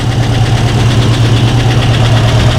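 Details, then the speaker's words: Mustang V8 with new Holley Sniper 2 fuel injection, first start after sitting a long while, fired on second or third try; fast, even light ticking over steady idle, owner hears a lifter ticking. Lifter tick. "fired right up on the second or third try. I hear a lifter kicking fin. See if that comes out."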